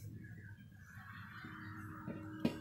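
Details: Gas stove burner lit and running; a faint, steady low hum from the regulator under the soft burner hiss, considered normal if the hum stops once the stove is turned off.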